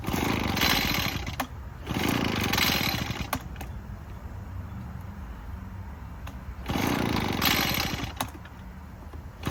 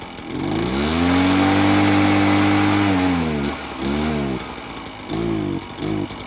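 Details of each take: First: Echo PB-403T two-stroke backpack leaf blower, sat for years, running on choke: surges in rough bursts and sags, never holds high revs; only runs on half choke, stalls without choke; carburetor cleaning suspected needed. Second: Echo PB-403T two-stroke backpack leaf blower that had sat for years, ran only on half choke and wouldn't rev, after service: picks up crisply, holds steady high revs, drops and blips back cleanly; healthy carburetion.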